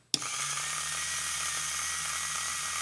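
Clean start-up, then a smooth, constant high whine with an even hum underneath; the small motor runs happily in reverse.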